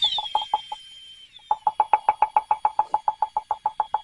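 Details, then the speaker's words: Valve lapping with drill and 5–6 in hose over valve stem at top of guide: crisp, even pops about three per second over drill whine as valve bounces on its seat, seating it quickly and evenly; normal. "That will seat that valve with quickness and it will get it even all the way around. And it will do it in short order."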